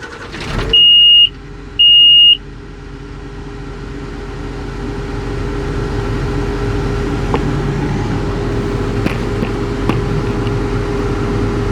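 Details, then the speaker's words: John Deere 544J loader starting: two short shrill warning beeps before the diesel catches and settles to a steady idle, with an active battery voltage imbalance code, fixed by a reprogram procedure; not thought related to the stop engine alarm. "Battery voltage imbalance one active code."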